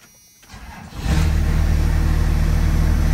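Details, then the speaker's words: 1st-gen Cummins diesel truck with a bad alternator not charging the battery, running without an air filter: brief cranking, then it catches almost at once and settles to a steady, even diesel idle; healthy quick start. "if I mean this thing cranks up right away"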